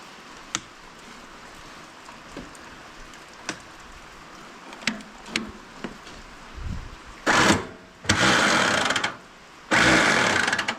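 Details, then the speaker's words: Allis Chalmers tractor, believed late-1940s WC, unrun 20+ years, possibly 6-volt positive ground: light clicks then short free-spinning whirs with no cranking beat; starter spinning without engaging, owner first suspected stuck motor, but engine turns freely. "I don't know how to engage it no motor spins nice almost as if it has no compression and it's wore out but you know that's how every old tractor is H wonder why it's not enga"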